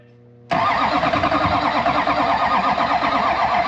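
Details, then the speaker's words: LB7 Duramax diesel after injector replacement with a used set: steady fast cranking that never catches or fires; sounds like lack of fuel, air in the fuel system, needs priming. "That sounded like lack of fuel. Yeah. It is."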